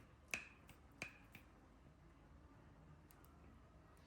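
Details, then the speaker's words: Mahindra Thar rear door after greasing hinge spring and lock that creaked like an old door: swings with only light detent clicks, no creak or groan; quiet door check. "खत्म। कोई sound नहीं है। बिल्कुल बंद हो गई है।"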